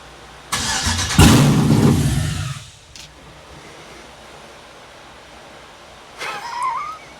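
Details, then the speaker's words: 700HP supercharged C10 build, first ever start on a 90°F+ day: fires immediately after fuel pump prime and barks into a deep even rumble for a couple of seconds, then shut down because transmission cooler lines aren't yet connected; clean, healthy start. "I love it when a plan comes together. That does it get any more first fire immediate start than that?"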